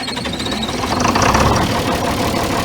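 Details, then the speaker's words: John Deere 4010 diesel after replacing a leaking lift pump and bleeding the fuel: catches and picks up to a steady, even chug with no misses, slight surge, left idling; normal start. "there you go just ski and we're gonna let her run for oh it's going to run for at least 10 minutes just idling and you hear that surge"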